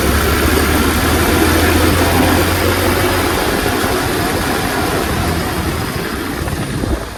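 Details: Revived Tao Tao 125cc ATV quad with a new carburetor, ignition switch, stator and pickup, ridden slowly in the rain. An even, quiet engine drone sits under heavy wind rush, with no knocks or rattles. Running normally.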